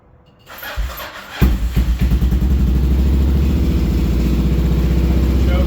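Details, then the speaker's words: Kawasaki KLR650 single after carb cleaning and pilot mixture set to 2.5 turns: settles into an even, steady idle with no misses or knocks, now revs cleanly; normal idle. "Rev it, but sounds pretty good."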